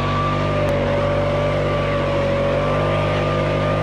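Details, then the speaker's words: 2021 Stihl BR600 backpack blower, 65cc 4-mix engine, running: a steady high drone with a fan whistle, no misses or surging. It sounds great and is very quiet. Healthy running. "sounds great as i know it's very quiet much quieter than my web mats"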